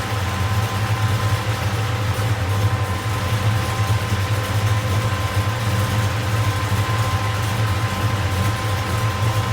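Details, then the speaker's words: V8 at idle after an attempted valvetrain-noise fix: steady rumble with a faint fast tick, quieter than before but still present; lifters suspected of not pumping up correctly. "sadly I don't think that fixed the problem um I say that it it it definitely sounds quieter at an idle but I still hear it's got to be those lifters it's just it's almost got to be I don't think they're pumping up correctly"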